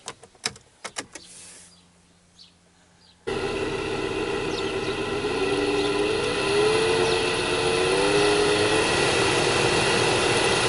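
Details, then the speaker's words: 2002 Opel Vectra C heater blower motor running loudly: after a click the fan settles into a steady droning, rumbling hum with a slight wavering note; noisy blower motor, to be removed from behind the glovebox. "друзья всем привет это как-то печка у меня громко работает"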